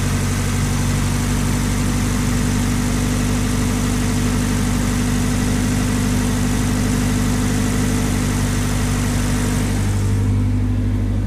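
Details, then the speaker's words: Nissan Silvia PS13, dead battery, sat about 10 weeks on a boat and about a month at home, jump-started with an eBay battery jumper pack: engine catches, smooth even low-hum idle with no knocks or misses, then shuts off. "as you can hear it's running now this car has been sat he was on a boat for however many weeks 10 weeks"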